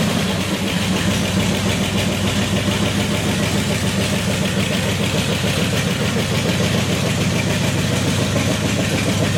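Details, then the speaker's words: Restored 1932 Ford gasser truck, V8 engine that sat 40-plus years, first start with no coolant or fan belt fitted: steady even idle, smooth regular beat, no knocks, ticks or misses; oil pressure about 42, sounds healthy. "but that's good oil pressure yeah oh that sounded beautiful too"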